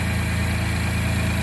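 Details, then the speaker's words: Chevy Colorado/GMC Canyon (2015-2022) idling right after a battery replacement; the old 615 CCA battery lasted about 5 years. Smooth, even low hum with a steady fine pulse and no knocks or misses; it cranks like a champ. "I cranked it up. It cranks up like a champ right now."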